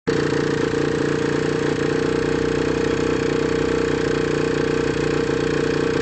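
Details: AM6 two-stroke engine at idle: fast, fairly even rattle over the busy idle, something loose or worn; source not identified.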